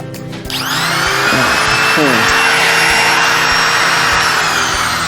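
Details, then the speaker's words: Wood profile router (trimmer) motor after repair with new armature and carbon brushes refitted: spins up to a high, clean, steady whine with no grinding or stutter, smooth unlike the rough, jammed sound before repair. "Oke guys, sudah hidup ininya mobilnya. Suaranya juga jadi halus, nggak kayak kemarin."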